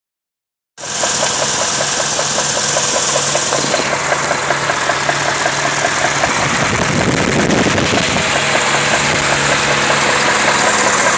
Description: Whats this noise? Cant really tell if its a rod knock or not.